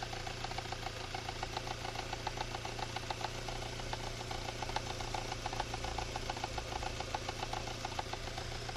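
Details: Engine at idle with an unexplained light, regular tapping at roughly three to four knocks a second on top; cause undetermined: engine knock.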